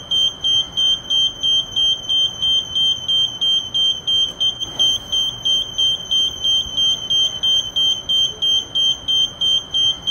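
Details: Kone lift with door control button held too long; rapid, steady high-pitched beeping about three a second – elevator door-held warning beep.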